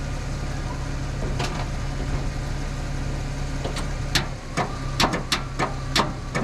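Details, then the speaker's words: Ford F700 dump truck after sitting 20 years, cranked with a Jeep after a jump box lacked power: low, labouring starter hum with uneven clicks and bumps, no firing; engine hardly turns, cause suspected, not confirmed. "It's trying to turn."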